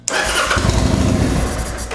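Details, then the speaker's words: Kawasaki Vulcan 800 Drifter (VN800E) after replacing faulty ignitor, with a little choke: starter whirs, engine catches a few uneven firing pulses then dies; nearly starts, spark fixed, carburetor suspected of needing work. "oh almost well i think she might need some carburetor work but at least we know we got the spark issue solved"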